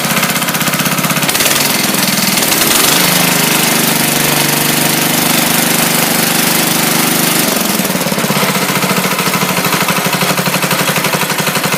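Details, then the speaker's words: 1968 Sears hydrostatic tractor after rod and crankshaft replacement: fast, rough knocking rattle persists, steady at this speed, no oil burning; owner suspects piston slap, unconfirmed. "yeah, you can still hear it. It's still making the same noise."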